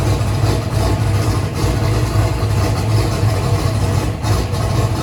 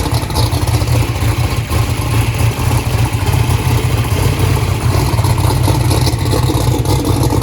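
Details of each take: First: 2500hp turbocharged 427ci small-block Ford race engine at first start-up, restarted after a spark plug wire issue was found: deep, lumpy burble at idle firing evenly with no skips or clatter; normal idle. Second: First start of a 427ci small-block Ford built for 2500hp, cold, with 82 psi oil pressure: deep, lumpy rumble with an uneven, stumbling idle beat. Cylinder misfire traced to a loose spark plug wire; the dash also flagged number three not sparking.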